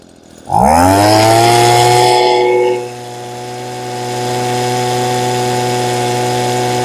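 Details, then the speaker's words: Old Echo two-stroke with no throttle lock: a sharp pull-start, then a high whine settling to a clean, steady hum with no stumbling; running so well it is left alone. "Those really don't do much, but it's running so good, I hate to mess with it anyway."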